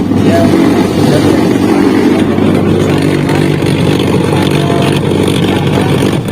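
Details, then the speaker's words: Denpoo DW-8907 twin-tub washing machine with pulsator held by foot: loud rough grinding churn under a strained motor hum as pulsator drags weakly; worn gearbox causing weak, noisy rotation, to be replaced. "Dan untuk mengatasi masalah putaran mesin cuci yang lemah dan berisik, saya akan mengganti gearbox mesin cuci ini, teman-teman."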